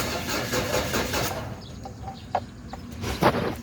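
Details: Ford Everest cranking but not starting: starter turns the engine over steadily for about a second, then stops without catching; birds in background. Cause suspected, not confirmed.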